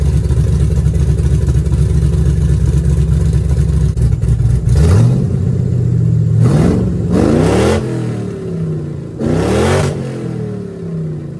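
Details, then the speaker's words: 1966 Chevy C10 with an LS swap on small cherry bomb mufflers, before the swap to knockoff Flowmaster 10 Series: a deep lumpy idle, then three quick throttle blips that rise and fall back cleanly; sounds good. "now if I'm being honest I think that actually sounds pretty darn good"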